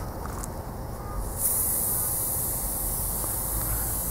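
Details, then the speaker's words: Thin, steady high hiss of air escaping from a tire puncture caused by a small thorn, not a nail; leak found with soapy water bubbles before plugging. "it's not a nail that's just a little Thorn that grows out here and punctures these tires you can probably hear it hissing"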